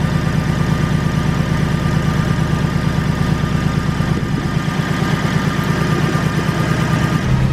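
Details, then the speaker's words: Honda EK (turbo project) after fuel pump swap and fuel pressure primed: uneven, lumpy idle stumbling about three times a second, hunting rather than settling; sounds better but not right. Persistent misfire, cause not confirmed. "here goes nothing sounds a little better but not a hundred percent"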